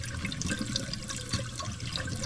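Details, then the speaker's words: Old toilet before replacement, jets clogged with mineral deposits and fill valve not cutting off; continuous hiss and trickle of water that never stops; running toilet, fill valve not shutting off. "It's just constantly running, so the fill valve's bad also."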